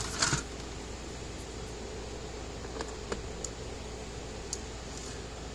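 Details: American Farmworks 60-mile electric fence controller on the bench, loaded with a 200-ohm resistor after board inspection; sharp faint clicks at uneven intervals about a second apart in a quiet room; charger pulses but the fault wasn't found and it wasn't repaired.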